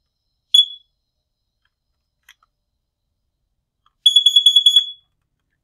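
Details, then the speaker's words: First Alert carbon monoxide detector sounding its CO-detected alarm: a shrill beep, then a fast run of about eight piercing beeps, unlike the intermittent low-battery chirp. "now that's different if it if it actually detects carbon monoxide if it does detect carbon monoxide it's going to sound like this"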